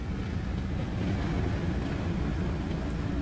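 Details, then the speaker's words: RV bedroom rooftop air conditioner, one of three run on 50 amps, with only the blower fan running: a steady, even low whoosh before the compressor kicks on with a relay click. "And then about 10 seconds later, you'll kind of hear the compressor kick on, which is what draws the most current. Right now it's the fan."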